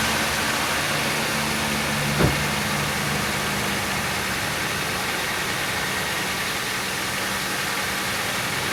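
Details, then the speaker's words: Chevy Venture 3.4L V6 idling right after harmonic balancer replacement and belt refit: steady, even idle, smooth low hum with one brief bump, no stumble or misfire; healthy. "so this star right up so apparently that harmonic balance will match the computer settings or we just got lucky"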